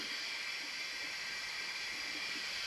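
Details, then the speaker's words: 2003 Honda XR400 leak-down test, engine not running, reportedly new cylinder/top end: steady airy hiss heard in crankcase, not intake or exhaust, air bleeding past rings. "But what I can hear what I can hear is in the crank case. I can hear it hissing coming out of here."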